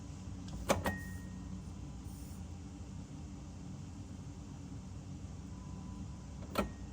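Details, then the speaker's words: BMW E60/E63 M5/M6 SMG hydraulic pump during the INPA bleeding process, after topping off with CHF-11S fluid: low steady pump drone with sharp clicks as the gearbox shifts. This is the good noise, missing when the previous SMG pump failed. "All right, so now it looks like it's switching gears. You can hear it. So that's a good noise. We didn't hear that when our other SMG pump was messing up."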